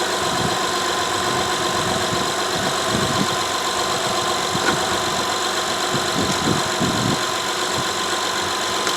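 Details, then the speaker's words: 2012 Honda Odyssey 3.5L, 141,000 miles, after fixing P0303 cylinder 3 misfire: steady, even idle with no stumbles; scan tool shows zero misfires on all cylinders, confirming a bad spark plug. "there's all your Mis fires you can see them zero across the board that plug was bad"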